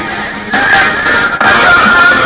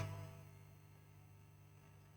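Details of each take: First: PC subwoofer speaker system after replacing a bad 3300 µF power-supply capacitor that caused hum: guitar music plays clearly through both left and right speakers with no hum, crackle or hiss. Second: PC subwoofer amplifier powered on with nothing playing: a steady low hum from the power supply, caused by a bad 3300 µF filter capacitor that was then replaced.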